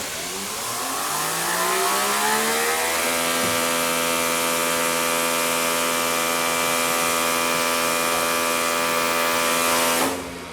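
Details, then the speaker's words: Greenworks brushless electric pressure washer, 1.7 flow, on first test: smooth electric whine rising quickly in pitch, holding steady and even, then spinning down, like a Tesla reversing; normal healthy motor run. "i love that sounds a little it sounds like my tesla backing up"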